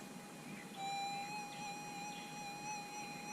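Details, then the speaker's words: Minelab SDC 2300 gold metal detector with sensitivity turned down to 4; threshold is a calm, steady high hum holding level with no warbling, though about a couple of inches of depth is lost. "you can hear it's much calmer, but as I said, you'll be losing a couple of inches of sensitivity."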